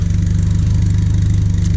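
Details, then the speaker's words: 1978 Triumph Spitfire cold start after sitting about a week: deep, lumpy idle with fast uneven chuff, popping, sputtering and stumbles; owner suspects timing slightly off and choke needing adjustment, runs perfect once warm. "not the smoothest cold start it's actually been a while since this started and ran about a week uh it sounds like the timing's slightly off"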